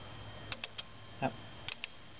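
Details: With a helper trying to start the car, the starter relay is held by hand and gives sharp, faint clicks in quick pairs and triplets, so it is switching normally and the no-crank problem lies elsewhere.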